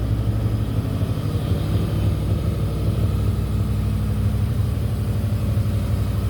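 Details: Ford/Lincoln 4.6L 32V V8 after repairing a blown-out spark plug with threaded insert and red Loctite: steady even rumble at settled idle, no ticking, misfire or blowing leak from plug area; runs healthy.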